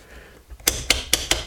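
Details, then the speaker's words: DeWALT cordless chainsaw bar-tensioning knob: five crisp plastic clicks, about five a second, as the torque-limiting pawls ratchet once tight; limiter working normally, protecting the plastic. "these poles on here and they ratchet and you can hear that once you're too tight"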